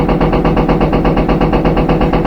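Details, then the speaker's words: Front-load washing machine, empty drum at high spin speed: rapid, even thumping and banging from the back at every turn, far too rough for no load; worn rear tub bearing, and the noise may fade at certain rpm. "but that's how you know you have a bad rear bearing a certain rpm sometimes that noise will go away"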